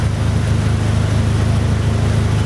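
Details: Mitsubishi Eclipse in gear: deep, steady low drone with a faint uneven throb, chugging and running rough with misfire (P0300) and low power; upstream O2 sensor signal stuck rich, sensor suspected faulty.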